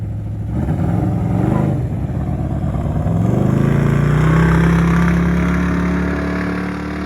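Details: 1967 Chevelle retired race car with a garage-installed engine, radiator and exhaust: deep lumpy V8 burble with a rough pulsing big-cam beat, revs rising and settling back smoothly. Normal idle.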